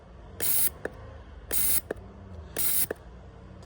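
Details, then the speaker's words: Kia Carens 3 with a 2.0 CVVT (G4KA) engine, fourth fuel injector removed for cleaning and pulsed on a tester: sharp, even spray bursts with clicks about once a second. It atomises well and does not drip when unpowered. "The fourth one works well. As you can see, the main thing is that when we do not supply power, nothing flows from the nozzle. This means that it does not fill the cylinder without being activated."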